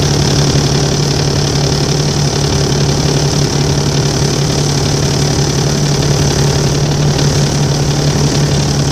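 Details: Volvo 7700A city bus in Budapest idling loud with a deep diesel hum and an uneven rough clatter on top; cause unknown, and these buses often make such strange noises.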